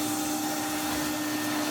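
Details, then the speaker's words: 1993 Henry HVR200 vacuum after full restoration (stripped, serviced, reassembled): steady, even motor whine with strong rushing air, no rattles or pitch wobble; strong, healthy motor. "It's a really strong motor."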